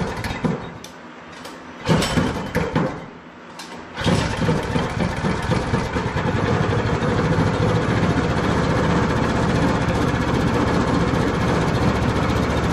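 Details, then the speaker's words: Predator 212 Hemi single-cylinder with governor removed, just reassembled: a few pulls and coughs, then a steady, even putter with no knocking; oil in the cylinder makes it smoke a lot but should burn away; normal running. "there's some old in the cylinder making it smoke a lot but that'll burn away and it sounds like it's running pretty good"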